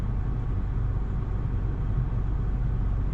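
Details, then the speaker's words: 2009 Nissan Versa 1.8L at about 157,000 miles with the AC on, after replacing the cylinder 4 coil pack that caused a misfire (P0300, P0340): low, smooth, even idle with no stumbles; runs normally. "No problems. Okay. You see that idle's real smooth."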